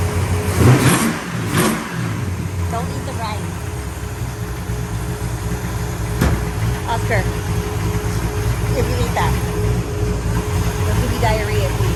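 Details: 1966 Pontiac GTO convertible V8: deep even burble with a couple of quick clean revs early, settling back smoothly; sounds healthy.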